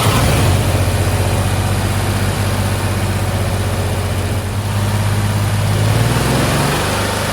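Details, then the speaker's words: 1963 Chevrolet C10 Stovebolt straight-six at high idle for five minutes, all six cylinders reconnected after loosening the number 4 and 5 exhaust valve lash. Deep drone with an uneven lope, better than on three cylinders; low compression in two cylinders, number 3 also weakening. "Well, it's not 100%, but definitely sounds better than with just 3 cylinders."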